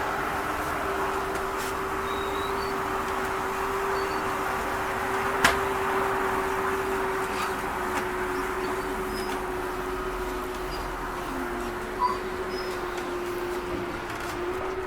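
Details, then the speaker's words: Salem 330BHBS travel trailer front slide room extending: even motor drone as the room runs out, then a short clunky burst at the end as the slide mechanism resets, which happens every time; normal. "you hear that noise that's okay to hear that's just the slide mechanism resetting itself does it every time it goes out so if you hear the little noise don't panic"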